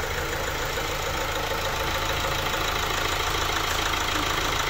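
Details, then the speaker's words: Opel Insignia 1.6 diesel 136 hp at about 154,000 km, idling after timing chain replacement and diesel engine cleaning: steady even idle with no knocking or chain rattle, engine healthy. "Aracımızın otoban testine çıkacağız aracımızı sesi on numara bu şekilde yaptık dizel motor temizliğini yaptık orijinal şeklinde toparladık"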